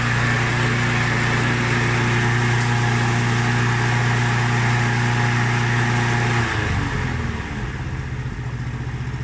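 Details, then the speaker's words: Mountfield SP536ES self-propelled mower, RM55 160cc engine, after service, new battery and drive belt: steady, even single-cylinder beat with constant low hum, then settles smoothly at lower speed. Normal running. "so she's running good that you can save her"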